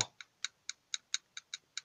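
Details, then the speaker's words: 2015 Nissan Tiida sedan driving on highway: crisp light metallic ticks four or five times a second from front wheel; suspected loose cotter pin on the hub nut, not confirmed. "un ruido extraño que se presenta al ir en carretera en la suspensión delantera miren ese ruido más o menos se escucha como algo metálico que está suelto"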